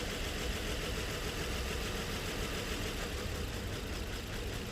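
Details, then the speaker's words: Nissan Murano V6 at idle: uneven, shaky stumbling beat with heavy jerking from misfires; scan-tool cylinder cut-out test shows cylinders 3 (under the intake) and 4 not working. "Number 3 जो नंबर 3 सिलेंडर है ये बिल्कुल काम नहीं कर रहा है। और नंबर 4 भी कोई चेंजिंग नहीं आ रहा है।"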